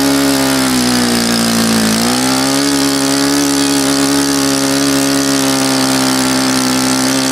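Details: Saito FA-100 glow four-stroke after rebuild (new bearings, gasket set, tappets; exhaust tappet was mushroomed), APC 14x6 prop, Omega 10% fuel, OS F plug: high steady buzz dips briefly near two seconds then settles, firing even; runs cleanly.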